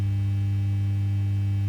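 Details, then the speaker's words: Fender Ultimate Chorus transistor guitar amp on the bench with a test speaker: constant low supply hum. "okay we're in our test condition now uh ABS powered up I've got a speaker hanging on and we've got this nice low level Hub not horrible um you know noisy one we had"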